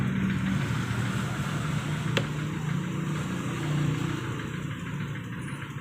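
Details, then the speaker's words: Honda Vario 125 scooter after cleaning the dirty idle actuator and throttle body and resetting idle: small single ticking over smoothly at a steady 1500-1600 rpm idle, no stumbling or misses like before; idle now normal and stable. "stasionernya sudah enak ya Eh 1500-1600 ya udah stabil enggak kayak tadi tadi seperti pincangnya seperti busi mau mati orang udah enak mudah stabil ya stasionernya"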